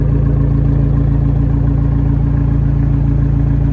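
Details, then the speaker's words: Abarth 595 Turismo idling: smooth, even low purr with a steady firing beat and no knocks or misses; a healthy normal idle. "For those of you that want to know what the normal idle sounds like, guys, this is what it sounds like normally when it's just idling, and it sounds beautiful. Just a very nice purr."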